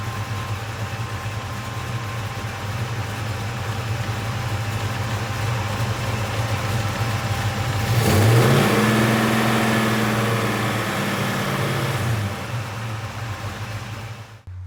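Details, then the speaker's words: Grey Ghost car, V8 idling then revved, oil pressure good (about 50 at idle, about 65 with throttle): light fast tick over some clutch rattle; owner concludes it must be a lifter issue, with some of the noise from the clutch. "so it's got to be a lifter issue I can still hear it I know some of it is the clutch"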